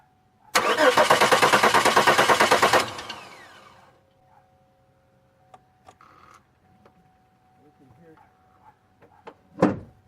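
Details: 2002 Chevy Malibu: even starter cranking about three beats per second for two seconds, no catch; crank no-start. Fuel pump runs and ignition present; owner suspects injectors not opening, possibly cam sensor or ECM; unconfirmed.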